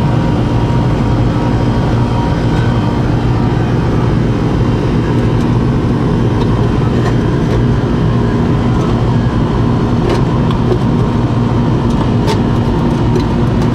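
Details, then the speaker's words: Air-conditioning outdoor unit with the contactor pulled in (capacitor checked): steady even compressor hum and low drone with the fan rushing, no clicking or cutting out; compressor now running normally. "oh that sounds better sounds like I got a compressor now oh yeah"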